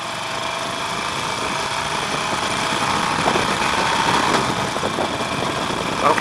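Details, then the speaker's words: Harley-Davidson Nightster 1200, about 12,200 miles, warm: engine note climbs smoothly under normal acceleration with no rattle or knock; rattle only appears under sudden aggressive throttle. "so that's normal acceleration I can accelerate to as high as I want with that kind of acceleration and I'm not going to hear it"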